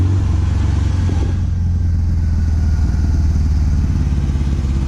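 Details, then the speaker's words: 1974 MGB with SU HIF4 carburettors, fitted with the wrong needle float: deep, lumpy, uneven idle that stumbles and never settles; fuel starvation from a float level set far too low, float height then raised. "all right guys we are suffering to be alive here it is running like dog crap what is that what would cause this the floats are good the needles are good"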